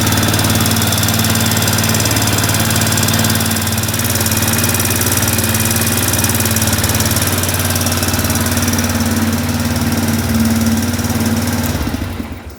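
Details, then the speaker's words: 2005 Arctic Cat 400 4x4 ATV (5-speed manual), freshly rebuilt single-cylinder engine at first run, idling with no leaks: steady beat with light quick even ticking, mild valve tap thought normal-ish; owner plans valve adjustment after break-in. "There's a little bit of valve tap, which is pretty normal-ish. I mean, my brother's Recon has it, so I might go in there and adjust the valves."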